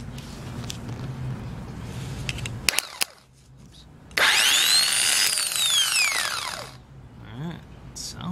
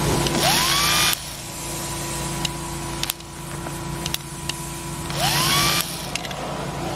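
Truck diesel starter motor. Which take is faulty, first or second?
second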